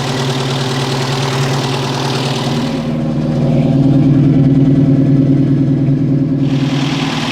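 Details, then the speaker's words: 1973 Opel Manta A, 1.9 L CIH engine warming up at idle after cylinder head refresh: steady low drone with light even tapping; valve train clatter from valve lash still to be finalized with a hot adjustment. "there's definitely a little bit of valve train noise so it's going to be good to finalize the valve lash setting"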